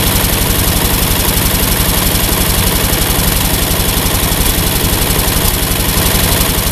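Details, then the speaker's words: Ford 8N tractor idles steadily and won't shut off with the ignition switch disconnected; the one-wire alternator on the 3-wire harness backfeeds the ignition circuit, and the fix is dead-heading the exciter wire. "one minor problem evidently i have disconnected the ignition switch not being able to shut off the engine is kind of a dumb thing to do"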